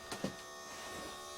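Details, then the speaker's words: Newly installed replacement fan motor assembly in truck camper bathroom vent, powered up before fitting the blade: a couple of clicks, then the small motor buzzes at an even, steady pitch; running normally. "she's running"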